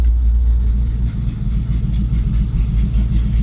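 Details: Chevrolet C10 squarebody truck, frame crack welded and exhaust reconnected: deep, loud, uneven rumbling idle with a raw, unmuffled bark; the exhaust cutout is open, so it only sounds like a big leak.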